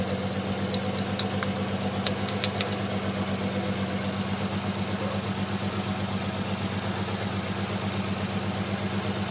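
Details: Non-turbo Nissan R33 at cold idle after sitting about 2 days and hard cranking: uneven pulsing idle with irregular exhaust stumbles, misfiring until about 10 minutes warm-up; coilpacks, injectors, gasket, fuel supply checked fine; cause unknown.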